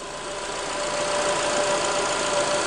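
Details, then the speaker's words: 2005 Honda Accord 2.4 VTEC at idle: steady idle, faint constant tone, no chirp or flutter as aircon cycles; tensioner holding, not vibrating, belt not moving. "the tensioner seems to be holding okay it's not vibrating at all which usually indicates that it's got a bit of slack attached to it so with the aircon going off and on it's not moving at all which is good"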